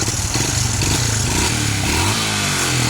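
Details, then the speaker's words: Honda Supra X 125 FI, previously totally dead with no ignition from a wiring fault at the head: after reconnecting the wiring, it kick-starts and the single-cylinder idles steadily, firing evenly with light revving; running properly. "Nah, oke, sudah hidup tuh, sudah hidup ya, lampunya sudah hidup."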